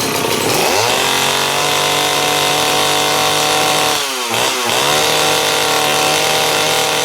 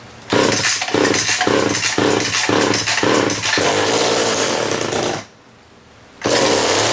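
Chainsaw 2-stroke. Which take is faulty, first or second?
first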